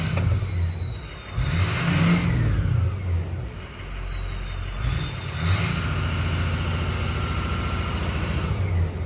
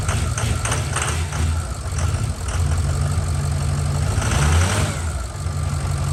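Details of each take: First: Ford 6.0 Power Stroke diesel after head studs and head gaskets, exhaust back pressure sensor now reading and VGT duty cycle responding; clean turbo whistle rising and falling with throttle blips over steady rumble; normal turbo whistle. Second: Ford 6.0L Power Stroke diesel after head gasket and head stud job, turbo VGT vanes not actuating; deep diesel clatter at idle with no turbo whistle, vanes stuck open.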